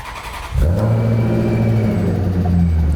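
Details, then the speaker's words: V8 supercar with a weird noise under the hood, as the engine revs and holds: a thin, steady whine over the deep drone, suspected to be the power steering pump (an exhaust manifold leak is also suspected for a separate tick). "no i think your power steering pump is the culprit of our dying grass noise"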